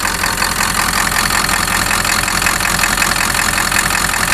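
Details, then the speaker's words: 1997 Ford F-350 diesel pickup with swapped-in engine that sat 10+ years, first running after repairs: even diesel idle, firm regular beat, slightly gallopy but no big knocks; runs okay, normal diesel idle. "See that? Seems to run okay. No big problems. I think that's a win."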